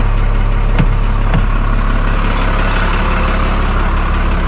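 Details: 1991 Freightliner FL70 tow truck, believed 5.9 12-valve Cummins diesel, sat about 15–20 years; started right up like a champ: steady even low diesel rumble at idle, no knocks or misses, good oil pressure; normal idle.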